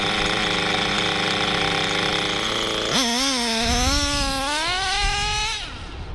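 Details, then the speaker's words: Hobao Hyper 7 nitro RC buggy with new generic clutch, after further small needle turns: high buzzing engine climbs slowly but smoothly over a couple of seconds, no stutter, then dies away; slow throttle response, tuning not finished. "So it's taking a little time. But it wasn't stuttering. It wasn't stuttering like before, you see?"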